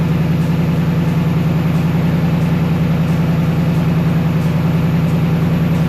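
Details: 2024 Mustang GT PP V8 just after installing a K&N cold air intake: deep, even idle burble with a smooth, regular beat, no ticks or knocks; normal idle.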